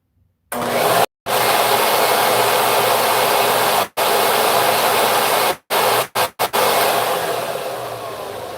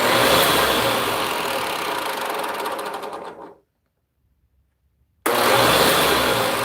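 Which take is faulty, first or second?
second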